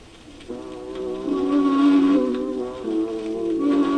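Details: Seabreeze Model 968 record player playing a record whose groove band sits off center. Music pitch sways slowly up and down. The wow comes from the off-center record, not the platter speed, since more groove passes the needle per unit time farther out.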